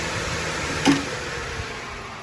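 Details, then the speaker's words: One new electric radiator fan on an 83 Chevy K10 with LS swap, jumped at the relay: even, strong rushing air, no rattle or rub; pulls more air through the radiator than both combined, running normally. "It's kind of loud. That's just one, and just one still pulling more air through that radiator than both them combined."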